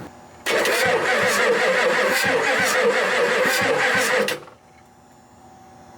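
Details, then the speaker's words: Ford F-250 7.3 non-turbo diesel that sat 10+ years, with cut wiring, battery reading 12 V. Steady starter cranking of about two turns a second for about four seconds; the engine spins freely but never fires. Cranks, no start. "e at least kind of get a little bit of a turnover all right all right oh that's a better sign than we were dealing with"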